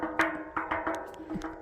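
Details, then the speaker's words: Tapping a well pressure tank at a rental with no water, pump not starting: about seven short, solid ringing thuds, not hollow; tank sounds bad, probably short cycling, which burnt out the pressure switch: waterlogged pressure tank. "the tank sounds bad yeah the thing is probably bad there's even another tank it probably was short cycling and it killed the switch"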